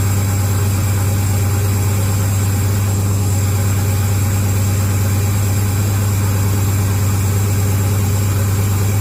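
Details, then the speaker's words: 6.0 LS-swapped second-gen S10 with a newly fitted turbo, no exhaust fitted yet. Loud, deep, raw, slightly lumpy unmuffled V8 idle drone. The engine smells and is said to be running rich for now, and the exhaust is still to be done. "yup that smells about right it's running pretty rich right now anyway gotta do the exhaust yet"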